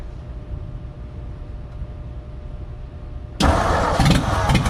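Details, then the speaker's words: 1957 Ford F100 running for the first time in about 20 years, choke off, no exhaust fitted: quiet crank and start, then a loud raw bark with sharp exhaust pulses at idle, running well. "this is the first time this thing has ran in about 20 years and it's running pretty freaking good it sounds like cuz it doesn't have an exhaust"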